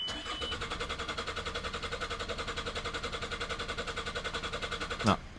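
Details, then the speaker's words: 2003 Ford Galaxy 1.9 TDi PD diesel: steady cranking about two beats a second for five seconds, never catching, then stops. It eventually starts after a minute or two of cranking; fuel pressure or injectors suspected. "but actually if you just keep crank crank cranking it eventually starts after about a minute or two so we know what's to do with fuel and it'll be to do with fuel pressure"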